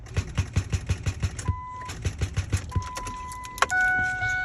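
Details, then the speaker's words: 2006 Ford F-250 Super Duty with 5.4L Triton, after coasting home from a test drive, not charging, brakes sticking: key turned, quick clicks about eight per second with no crank, then warning chimes. Suspected dead battery. "uh which is commonplace for a super duty after it's set for a while to one of the calipers locks up on it um and like I said right now it will not crank it just clicks"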